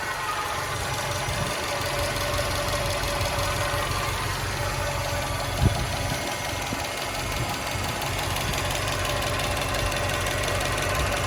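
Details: 2013 Subaru WRX at idle: an uneven tick-knock about three per second that has been present a while and is getting louder. The owner wonders whether it is injectors, normal Subaru noise or rod knock. The source is unclear.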